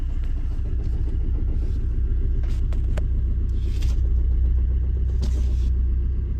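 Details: 2005 Vauxhall/Opel Corsa C 1.3 CDTI diesel with hard starting: deep, uneven rumble with a loose rattle under idle, holding steady; owner suspects a bad flywheel, not confirmed.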